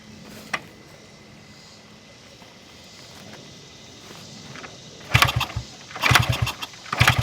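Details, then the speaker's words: 1974 Honda XR75, 48 years old, after new spark plug and larger rubber seal at carb against air leak: single catches in ragged, uneven bursts, stumbling rather than settling to clean idle; runs but doesn't sound healthy. "okay it's running but it doesn't sound healthy what do you think"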